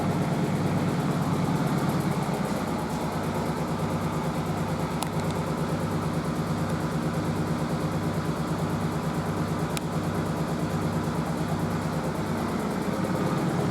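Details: Merloni Electra WD1100 washer dryer, 50°C non-colourfast cotton unbalanced load test: steady low hum with slow swell about 1.5 per second, no drum banging. The stiff suspension pulls the machine about; unbalanced load during spin.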